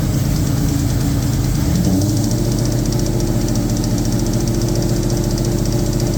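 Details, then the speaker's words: 2003 SVT Cobra supercharged V8, first start of freshly built engine: heavy idle with fast, light, irregular tapping; persists with supercharger belt removed, seems to come from the valve cover, valvetrain tap suspected. "Started off really good, and started hearing a little bit of a tapping noise. And so I took the supercharger belt off to eliminate the supercharger, and the noise is still there. It sounds like it's coming from the valve cover here."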